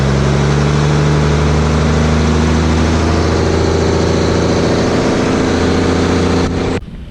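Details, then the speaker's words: Vintage Ashok Leyland double-declutching truck with the old 401 diesel engine, cold-started after many years unused with an oil-bath air filter: steady, even idle with a firm low throb and no knocks; it runs fine, with some air issues noted. "അതേപ്പോ നമ്മള് വണ്ടി സ്റ്റാർട്ടായി പവറായിണ്ട് പക്ഷേ വേറെ case നമുക്ക് ഓടിച്ച് കാണിക്കാൻ പറ്റും വണ്ടി വേറെ കുഴപ്പമൊന്നുമില്ല"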